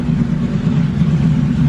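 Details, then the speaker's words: 2000 Ford Crown Victoria with check engine light and hesitation, after new mass airflow sensor fitted: idle wavers and stumbles unevenly; runs more erratic with the new MAF; rough running. "but the car is acting a lot more erratic even with the new one put in"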